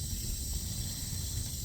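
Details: Water supply line after Moen shower valve replacement, valve reopened with faucet open to purge air: constant high hiss over low rumble, normal refill flow.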